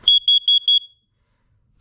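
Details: Carbon monoxide detector in the upstairs hallway during a monthly test: four quick shrill beeps, then silence, a clean CO alarm pattern; the alarm sounds properly.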